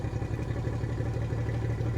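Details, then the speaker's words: 2003 Yamaha 225 four-stroke outboard running on a flush hose: a low, lumpy, stumbling idle that worsens the longer it runs; misfire traced to a pinched wire causing false readings, an electrical fault. "It's almost like a misfire or a backfire. Um, you know, it could be fuel related, but it could be ignition related. Sounds like ignition related to me."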